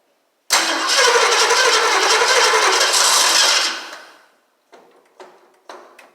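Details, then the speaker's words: 1968 Mustang Gold Nugget Special, first start attempt with a little gas in a hose to the fuel pump: cranks, catches about three seconds, then fades and dies, followed by weak cranking bursts; owner suspects losing spark and possibly starter not engaging flywheel right. "Well, it's like I'm losing spark once it hits. Here's everything's hooked up. Not sure why it won't go."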